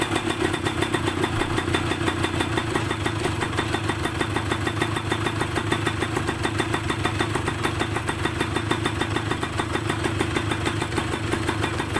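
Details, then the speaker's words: Yamaha DT125MX two-stroke with a square-slide K carburetor fitted to cure hanging revs, air screw about 2.5 turns out, just started and not yet warmed up: quick, even popping at a steady idle with no hunting or dips. "โอเคเดินเบาได้นะครับเดี๋ยวทิ้งเครื่องวอร์มไว้สักพักนึงนะครับ"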